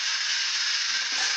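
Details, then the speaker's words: Burnt-out hovercraft fan motor fitted as electric fan propulsion on small toy car, phone battery powered: tiny motor buzzing with hissy uneven rattle and light ticking instead of clean whine; burnt-out motor barely running, likely finally dead. "Doesn't sound very good. Oh dear. I think we may have finally killed it."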